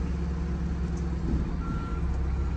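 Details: Diesel RV with a suspected turbo boost leak, backing up to park: deep rumble with a clear high beep sounding twice; the reverse alarm works normally.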